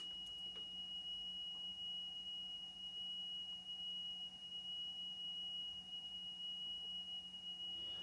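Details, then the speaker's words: Aiwa AD-F410 cassette deck after belt replacement, playing a 3 kHz test tone from an old worn test tape: steady tone slowly swelling louder and quieter; level fluctuation, possibly from the tape itself. "the tape is getting slightly louder and quieter"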